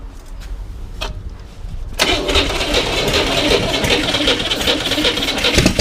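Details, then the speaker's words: 1961 Corvair air-cooled engine on a bench, sat 20 years, partly refurbished, first start attempt: cranks, catches and runs ragged with sharp irregular pops, backfiring through the carburetor; they suspect timing and suggest retarding it and choking. "backfire through the car turn the timing back a bit let's choke maybe"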